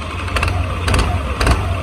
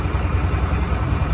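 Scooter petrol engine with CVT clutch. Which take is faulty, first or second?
first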